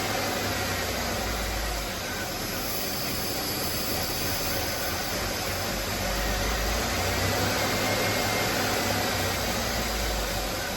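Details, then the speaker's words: 2004 Buick LeSabre after misfire repair, coolant flush, new thermostat, belt and battery, warming up: steady even idle with smooth hum, no stumble; check engine light gone, coolant temp normal; normal idle. "she's running smooth on this last test drive here everything looks good"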